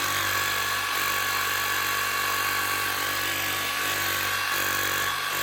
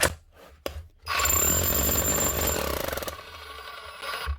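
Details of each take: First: Metabo MHEV 5 BL brushless demolition hammer after new con rod and O-rings, chisel locked: fast, even blows at steady rate over smooth motor whine, clean spin-down; hammering properly, starts weak until grease warms. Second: Metabo MHEV 5 BL brushless demolition hammer running: harsh, uneven pounding rattle from a broken connecting rod needle bearing; also won't lock chisel position.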